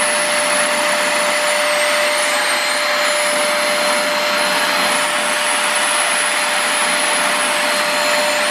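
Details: Multilaser HO03 1000 W 2-in-1 vacuum running empty, then upright, during power-use test (about 372 W measured): loud whoosh with thin wavering whistle; annoying high-pitched motor whine, cause unknown.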